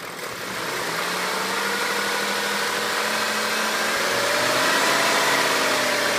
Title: E39 M5 vibration/noise from engine